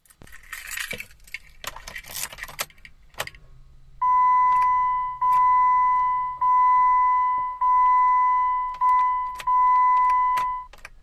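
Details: Jeep with keys jangling, then six loud beeps about a second apart with faint clicks and no cranking. It won't start; an electrical fault is suspected.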